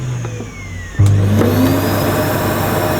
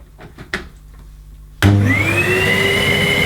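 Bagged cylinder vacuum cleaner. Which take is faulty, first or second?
second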